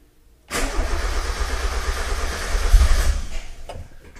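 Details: 1990-93 NA Miata 1.6 after SpeedyEFI (Speeduino) install replacing stock ECU, MAP port plugged in, fuel pump primed: starter cranks about three seconds with brief catching sputters, never runs; cranks but won't start.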